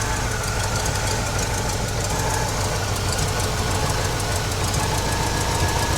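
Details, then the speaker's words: 1969 GMC truck, small-block V8 with a used alternator charging over 13 V: steady idle with a dragging, knocking undertone and faint whine from an overtight alternator belt, before loosening it, which reduced the noise. "Okay, let's get this alternator loosened a little bit. Okay. Yep, that's much better. Fire it back up now. See if I don't have as much noise."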